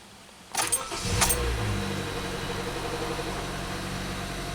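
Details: 2016 Honda Fit (Jazz) petrol engine started with fresh oil and transmission fluid, coolant temps monitored: quick crank, catches at once, brief flare then smooth even idle, no knocks or rattles, oil pressure up; normal start.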